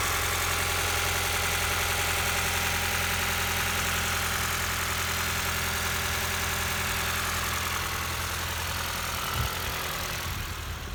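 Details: 2019 Ford Fiesta after fixing crank-no-start from incorrect cam timing following crank pulley replacement and excess injector cleaner, timing reset, belt off: even, steady idle with constant low hum, no misses or knocking; normal idle.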